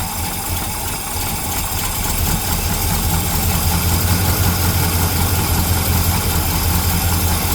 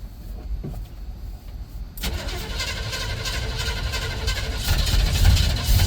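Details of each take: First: 1975 El Camino V8 at cold idle just after a new carburetor was fitted: steady, deep, even burble with no misses or knocks. Normal, healthy idle. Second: 1975 El Camino (GMC Sprint) V8, on its first drive in over 10 years, right after refueling with 93 octane: quiet clicking, then it catches suddenly and runs rough and lumpy; owner suspects a stuck float, with fuel pouring over the carburetor top.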